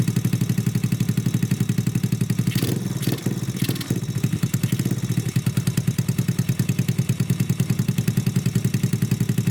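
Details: Honda Grom clone single-cylinder after valve adjustment and idle turned down: quick even thumping with brief handling clanks; idles smoothly, mixture still to be tuned, no air filter yet.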